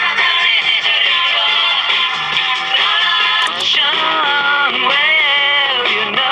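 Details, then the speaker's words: Vintage Cariole portable 8-track player: song runs hurried and sharp with chipmunk-like voices, borderline Mickey Mouse speed; playing too fast, possibly also wow and flutter. "all right so as you can hear it's borderline on Mickey Mouse speed so"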